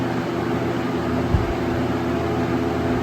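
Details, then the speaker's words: 1996 Lakewood 223 3-speed 20-inch box fan, third-gen, before restoration, on full/high speed: steady even rush of air with smooth motor hum, no rattles or ticks; less powerful than expected, air spreads out widely. Normal high-speed operation. "surprisingly not as powerful as I expected on high it really spreads out the air quite a bit"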